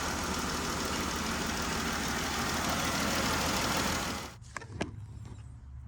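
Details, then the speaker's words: 2013 Jeep Wrangler with P0303 misfire and open-circuit codes for all six injectors, flashing check engine light: idle shakes with uneven stumbling beat; rodent-chewed number 3 injector wiring fried the PCM injector driver, PCM needs replacing. "So, all right, that proves it. It needs a PCM."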